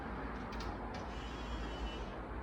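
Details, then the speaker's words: Nissan 300ZX with twin-turbo engine swap, at key-on before cranking: a faint, steady high whirr over a quiet background as the fuel pump primes normally. "oh yeah that look at that oh yeah listen to that fuel pump"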